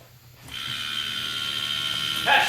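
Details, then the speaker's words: Nissan R33 GTR, key on before starting: a steady high mechanical buzz starts and holds for a couple of seconds, the ABS module pump running its self-check. Normal. "what's that noise? ABS module. Oh, that's crazy."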